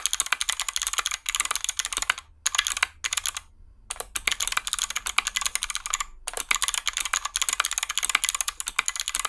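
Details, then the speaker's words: Typing on a hotswap 60% mechanical keyboard build with lubed stabilizers: crisp, loud key clicks in quick bursts with clean returns and no buzzing rattle on the long keys, so the stabilizers are quiet. "nice and loud as expected this does cover the sound of the snare glasses but you can also hear that there was no rattle because I lived them"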